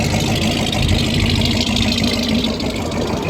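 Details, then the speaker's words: 1974 Buick Century Luxus, original Buick 350 V8 with 2-barrel carburetor, non-original exhaust, 64,000 miles, idling: even, steady low burble with no knocks or misses; healthy idle. "That's the original Buick 350 engine with a 2-barrel carburetor. Sounds beautiful."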